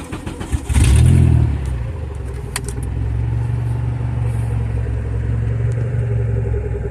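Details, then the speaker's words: Turbo Honda Civic EK hatch on its current map: short crank, fires right away, flares and settles to a steady even idle; starts and runs normally, oil pressure 74. "Starts right up though, but I do have to go through the map."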